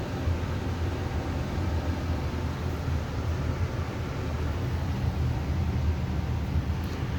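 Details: Amana 95 IIQ two-stage variable-speed gas furnace after burner shutdown: low steady whooshing rumble, no burner roar or rattles, as the blower runs on cooling the heat exchanger and slowly, smoothly turns off; normal run-on.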